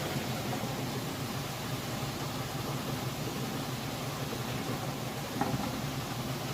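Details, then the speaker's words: Whirlpool top-load washer, normal cycle with a heavy load of jeans and towels, final spin after final rinse: steady even rushing hum at full speed, no knocks, rubbing or wobble thumps; normal spin cycle. "spinning full blast. Well, you can see it's spinning nice and fast."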